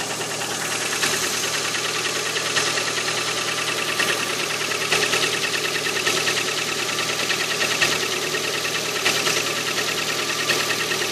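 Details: Cold Lada Priora 126-series petrol engine idling at 10 °C: a faint, loosely regular light knock about three per second over the hum. Piston slap in cylinder four (knock vanishes with its coil removed); gone after repair.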